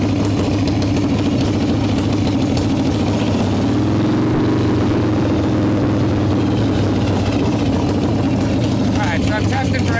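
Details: 1995 Harley Evo Softail V-twin, first start after rebuild: loud uneven idle that hunts and surges instead of settling; owner suspects intake air leaks, janky idle screw; rough idle.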